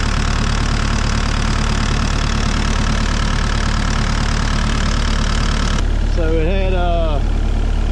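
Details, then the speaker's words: Mini excavator diesel at 1051 hours, started after oil change (about 2.5 gallons), before fuel filter change, oil pressure light off: steady low diesel idle with even regular beat, no knocking or rattles; healthy idle. "we're gonna go ahead and crank it before I put the fuel filter on it I like that do it separate"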